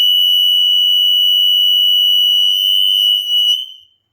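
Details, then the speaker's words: Old mains-powered upstairs smoke alarm with steady light, which first gave nothing on test; on retry a piercing continuous high-pitched tone held for about three and a half seconds, then cut out, with other interconnected alarms heard going off. "All right, so that I could hear other ones going off. It's not just this one. Sorry about the noise."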